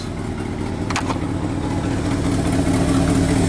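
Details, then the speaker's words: 1969 Ford F250 360 V8 with a rebuilt Motorcraft 2100 carburetor, fixing earlier sputtering and coughing; warmed up, exhaust tightened: revs up smoothly and evenly from idle with clean throttle response, no stumble or backfire. "sound like I want to take it for a ride now"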